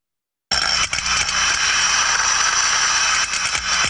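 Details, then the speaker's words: Healthy float steam trap heard by contact ultrasound on the steam side, a rushing hiss swelling and dipping unevenly as condensate flow modulates; continuous unchanging noise would indicate a problem. "wiemy że to jest mało kondensatu i jeżeli będzie modulację zmiany w przepływie"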